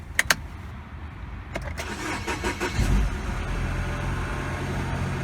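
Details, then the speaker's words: 2012 Mini Cooper Countryman 1.6 L four-cylinder with a crank-no-start and no codes; the relay feeding the computer was bypassed with a jumper wire. A few cranks, then it catches and idles steadily. Normal start and idle; relay to be replaced. "voila the car starts and runs so let's go ahead and order a relay for this thing and put one in"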